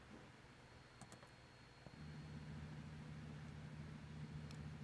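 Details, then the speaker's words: 300B vacuum tube amplifier kit with 0.47 µF capacitor on the negative feedback (NFB) network: steady low buzzing tone rises about two seconds in and holds; amplifier oscillation from that capacitor value, to be fixed by a smaller value. "First, when I first put 0.47 on the oscillation video, the amplifier oscillated like this ."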